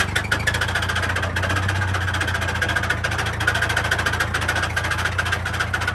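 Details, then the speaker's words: Massey 50 tractor with Continental Z134 engine, knocking with heavy blow-by after seeming to overheat while bush hogging: irregular heavy knock about three a second over rough low idle, deep inside the engine; owner suspects a spun bearing, unconfirmed. "Something happened inside the engine for sure. I don't know if it spun a bearing. That is an awful sound, whatever it is."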